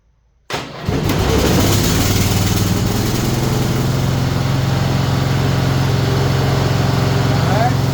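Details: Bolens ST120 Hydro lawn tractor after refitting missing pulley shaft key, belt and spring, deck removed: engine cranks and catches at once, then settles into a steady, even idle with no misses or knocks.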